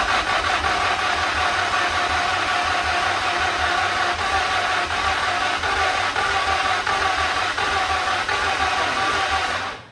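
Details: Car engine unstarted in about 20 years, scan tool showing coolant temperature zero and a pump sounding unhealthy: steady cranking about three turns a second with faint catches, never running. Owner suspects it is cold and needs some throttle; unconfirmed.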